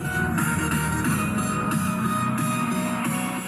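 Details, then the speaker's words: Polytron active speaker, left channel turns hoarse after a few minutes on, indicator blinks then goes off, speaker "breathes": guitar music rough and fuzzy on every note; distorted channel from weak power supply capacitor. "Ini yang sebelah kiri suaranya kedengaran serak sekali. Nah, dengarkan, serak sekali ya, suaranya sangat serak sekali yang sebelah kiri ini."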